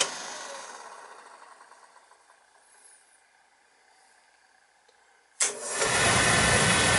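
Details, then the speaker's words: Beckett oil burner on an oil boiler that was tripping on safety, retested after the primary control change. After a quiet stretch it lights into a steady, even roar with no hesitation or rumble: normal ignition. "and we'll try it again and see what happens shouldn't hesitate at all you can tell it's an all control doesn't have any TT in order to it"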